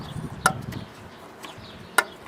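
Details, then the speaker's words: Vintage Kenmore (Whirlpool) window air conditioner, 5,000 BTU (owner first thought 6,000), original box, Matsushita rotary compressor; thermostat clicking before start-up, two crisp single clicks about 1.5 seconds apart in a quiet room: normal thermostat click. "Thermostat is clicking,"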